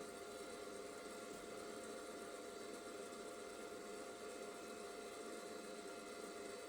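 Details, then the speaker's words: IBM/Cyrix Socket 7 PC on an ECS P5 motherboard, Windows 98 build: a steady, loud whooshing hiss with a faint whir that never varies, from a noisy processor fan. The owner plans to swap in another fan that is probably quieter. "I've also got another fan here which might be quieter than the current one but it might be just as as loud"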